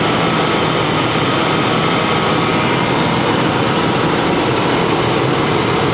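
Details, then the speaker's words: 1992 first-gen Ford Explorer after fuel pump replacement, first run on gasoline since 1998, thermostat suspected missing or stuck open: steady, even smooth idle with no misses or knocks; normal idle. "It's the first time it's run on gasoline since 1998."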